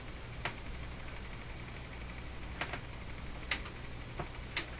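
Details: Emerson 34C tombstone tube radio, shortwave band during calibration, run on low 80 V supply: sharp irregular ticks about one a second crackle through the steady hiss; intermittent fault, cause not yet pinned down.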